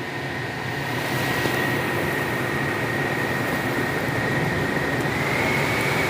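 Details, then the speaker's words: Aftermarket ventilated seat cushion fans in Hyundai Aura CNG, fan speed 1, engine running, AC on with blower on low: steady even whir with faint thin high tone over cabin and engine hum, no rattle or rubbing; normal fan operation. "तो अभी जो है van पर यह fan चल रहा है और नॉइस हमें इस तरह से ए रहा है"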